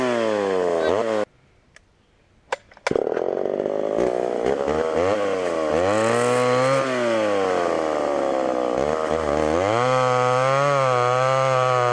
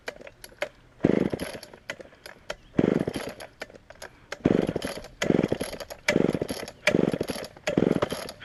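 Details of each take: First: Homelite Super XL chainsaw with 20-inch bar, cutting wood on secondhand non-ethanol fuel: strong high two-stroke scream bogging into the cut and recovering; runs pretty decent, needs a little more tuning and chain sharpening. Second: Auction-bought Homelite Super XL chainsaw first start on secondhand non-ethanol boat fuel: fires in short uneven bursts, blipping and falling off instead of holding idle; lean on the bottom, needs carb adjustment or diaphragm to soften.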